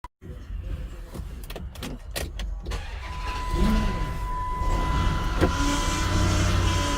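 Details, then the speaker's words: Chrysler Aspen: steady thin whine high above the idling engine from the power steering pump; owner suspects air pockets in the system and a failed pump; power steering whine. "That is a physical, actual power steering pump. When the last time you seen and heard one of those, and it is noisy. Now I can pretty much sense where my noise coming from. Probably some, I don't know, air pockets in the system, and the pump just gave out."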